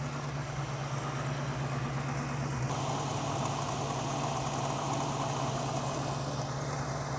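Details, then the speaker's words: 1967 Mustang engine with DUI ignition after tuning to cure a dead miss, idle checked on vacuum gauge: even steady idle, smooth low rumble, no misses or knocks; idle fairly steady though set as low as adjustment allows. "i don't think i can get much happier than where we are right now our idol is fairly steady on the vacuum gauge"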